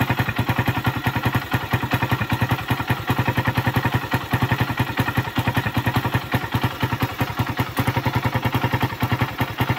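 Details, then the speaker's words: Suzuki Raider 150 motorcycle at idle after an oil refill: loud, rapid metallic knocking, loudest at the valves, then crankshaft and piston bore, worn after the engine ran dry of oil. "Natuyuan kasi to ng langis. Tumatakbo. Ayan oh. Ayan tumatakbo siya ng wala ng langis."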